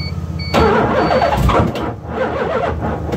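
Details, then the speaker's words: LH6 5.3 V8 swapped into a 1986 Mazda RX-7 with Holley Terminator X (24x/1x): starter spins steadily, a few uneven firings but never runs; owner suspects undersized 4-gauge starter cable causing heavy amp draw; nearly starts. "it's right there wanting to start but just something is holding it back"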